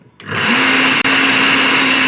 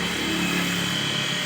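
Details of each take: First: Water pump motor before repair, also with a broken impeller plate and nuts: steady high-pitched rough whirring whine that holds its tone, then winds down at switch-off; worn motor bearing, to be replaced. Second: Water pump motor after its worn bearings were replaced: steady, even hum with a constant high whine, no grinding or rattle; normal motor run after repair.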